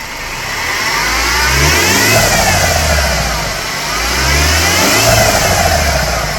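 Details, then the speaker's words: 12-year-old Mercedes W212 E250 wagon, M271 evo CGI 1.8 turbo four-cylinder, idlers, tensioner and belt already replaced: a thin whine rises and falls with revs, from a worn A/C compressor pulley bearing, which a pulley replacement fixed. "Uh, and we are going to be trying to fix that today. Uh, I believe it is coming from the air con compressor pulley."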